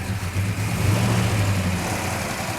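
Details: 1967 Hemi GTX convertible, first start after restoration, no air cleaner, carburetor mixture being adjusted: deep lumpy V8 idle with light ticking rattle; normal chatter of mechanical rockers.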